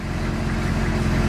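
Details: Squarebody diesel truck with dual tanks, just after it fired right up with good oil pressure: an even, steady idle clatter with a smooth low rumble and no knocks or misses.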